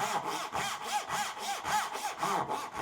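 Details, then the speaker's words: Hand saw cutting dovetails, after removing chatter from a cut held too high: even push-pull rasp about four strokes a second with no chatter or skipping; smooth cut. "and the saw is also cutting more easily."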